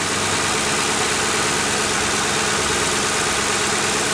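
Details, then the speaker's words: Ford Crown Victoria Police Interceptor engine running: smooth even idle without vibration or deep thumping from the crankshaft area, light fast ticking from the fuel injectors up top; normal. "And you should be hearing a ticking noise, but that's okay. That's the fuel injectors. That's the fuel injectors making that ticking noise."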